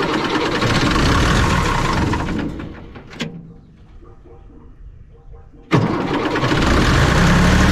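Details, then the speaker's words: Bomag BW213 compactor diesel after clearing an air pocket in the fuel system; runs, goes quiet, then catches sharply and settles into an even steady clatter; running cleanly again. "there we go right on the money"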